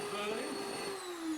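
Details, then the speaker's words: Dyson cylinder vacuum (DC08 series) before repair: high motor whine wavers up and down instead of holding steady, armature sparking heavily; carbon brushes not making good contact on the commutator, motor to be replaced. "as you could hear the motor was going up and down and it was sparking a lot on the armature these are the carbon brushes not making good contact across the armature"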